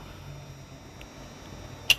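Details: Toyota RAV4 with codes P2770/P0776, engine off: one sharp, crisp click when the transmission solenoid is energised after cleaning; it previously did not work at all, solenoid now working normally.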